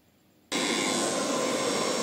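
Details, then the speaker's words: Three-phase 5 HP agricultural water pump motor after rewinding and reassembly, packing rope set with no drip: silence, then abrupt switch-on into a steady even rushing run with no knocks, grinding or wobble. Normal motor run. "Okay, motor అయితే ఇప్పుడు మనం on అయితే చేసేద్దాం అనమాట. చేసి చూద్దాం."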